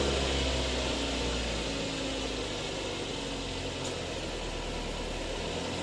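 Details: Mazda3 after AC hose, compressor clutch bearing, drier, expansion valve and O-ring replacement, revved while parked in the sun: engine runs steady with a smooth hum and no squeal or grind from the AC compressor; the compressor cycles normally.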